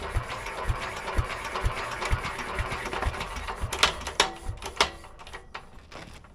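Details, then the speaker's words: Petter A11 (A1 series 2) single-cylinder stationary engine, stored damp for years, choke on: slow, uneven cranking thumps about two a second with clanks, no firing; fuel supply doubted, cranking without starting. "Don't know that it is getting fuel."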